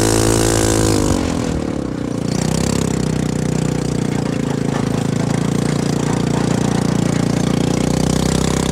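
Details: CFMoto 250cc 172MM GY6-type single-cylinder buggy after head rebuild (new head, piston, valves) and a re-spliced old pickup coil replacing a bad part, driven in the desert: steady drone pulling evenly under throttle, no popping, misfire or cutting out; running well.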